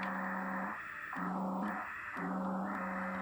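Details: Kenwood TS-440S transceiver after repair of missing trace from display-unit DAC to IC2 (RIT/IF shift fault): clean hiss with steady tone dipping and returning as tuning shifts; normal receiver audio.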